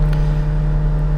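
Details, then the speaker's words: 2017 VW Golf Alltrack (MK7) cabin HVAC blower at max speed: loud steady low hum with rough uneven whir, worst at max speed; blower motor failing, sometimes switches off or drops speed intermittently. "see there's the noise. Really bad at max speed."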